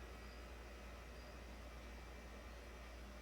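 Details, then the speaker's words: 2009 Toyota Corolla 1.8 with various evap codes, after evap canister assembly replacement, during scan-tool evap monitor test: steady, even low hum of the leak detection pump building vacuum, about 39 mmHg; normal pump operation. "oh i hear the pump running that's a good sign"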